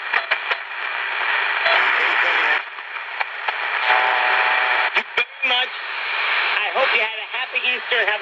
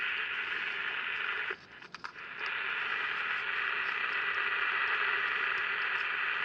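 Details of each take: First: Candle pocket radio after repair replacing two parts, one found bad, playing around 7pm: clear station audio with voices and a little crackle, steady and unbroken; receiving properly. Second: Candle pocket radio powered on for the first time with a battery: a steady crackly hiss from the speaker and no station reception; the amplifier works, and the oscillator is suspected of not oscillating properly or at all.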